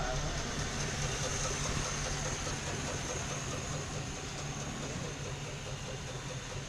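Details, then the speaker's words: 1955/56 Oldsmobile Rocket 88 324 V8, sat 22 years, idling after revival with little smoke or blow-by and a suspected vacuum leak: steady, even low rumble with no knocking or misses; sounds healthy. "Don't have a lot of smoke or blow by. That's awesome."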